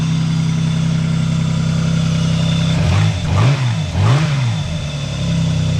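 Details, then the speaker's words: Vauxhall (Vectra GSI 2.5 being revived), automatic gearbox, about 103k on the clock (uncertain), cold start after years off the road: smooth steady low idle, then two clean even throttle blips; sounds meaty and healthy, with a tiny bit of smoke. "Oh, listen to that. That's a cold Straight start. away. Cold start, not been started in quite some time."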